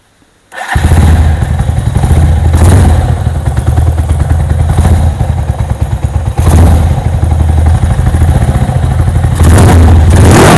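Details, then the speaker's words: Sport motorcycle, four-stroke, just after valve clearance adjustment (sport spec 0.10 ± 0.02 mm): engine catches after a brief crank and settles into a steady, even thump with clean rev blips and no ticking. Running healthy after repair. "nah tuh sudah beres ya motor sudah bisa hidup kembali berarti kita sudah beres atau berarti kita sudah selesai menyelesaikan penyetelan katup"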